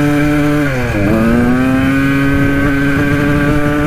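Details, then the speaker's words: 1980 Kawasaki KDX 175 two-stroke dirt bike after revival with a substitute silencer: holds revs, dips, then climbs slowly and hangs before reaching full revs; owner suspects the carburetor slide. "you can hear it uh rev out all the way but it takes a little bit i think it might be the slide but otherwise it's it's going pretty good"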